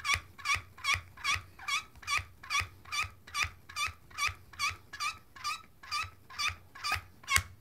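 Sharp, bird-like squeaks repeat about twice a second as a hydraulic crimping tool is pumped; normal operation.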